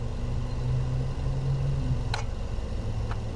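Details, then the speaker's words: 2022 Hyundai Palisade with a no-crank on push-button start and no codes, tested with a DITEX RelaySim Pro on the starter relay circuit: steady low hum with two sharp clicks about a second apart and no cranking. The starter is engaging but not turning; cause not confirmed. "h so I can actually hear the starter down there trying to do something interesting"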